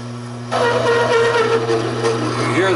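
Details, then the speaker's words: Taig micro lathe running fairly slow, parting 1-inch 1018 steel with spring cut-off tool holder: steady motor hum, then wavering singing screech of chatter; insufficient torque, needs feed kept up. "hear the chatter, but you see it's peeling it off, but it's just not enough torque."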